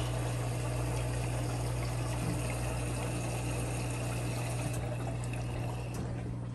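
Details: 11-year-old Kenmore Elite washer after fixing the E58 error: steady low hum with water rushing through. Previously no pump noise was heard. Normal drain pump operation.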